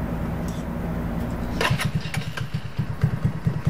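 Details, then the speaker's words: 150cc Chinese go-kart engine, cold first start on a new adjustable carburetor with choke, idle preset slightly high to drop once warm; brief crank then an even single-cylinder putter a touch above normal idle. "He'll screw it in to where it has a little bit higher idle that will bump back down once it's warm enough."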